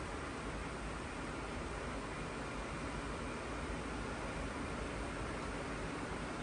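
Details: Goldshell Mini-Doge crypto miner powered on from a PSU after the old six-pin fan connectors were resoldered with new ones: steady, even rush of air from the fans with no ticking, rubbing or wobble; healthy fans.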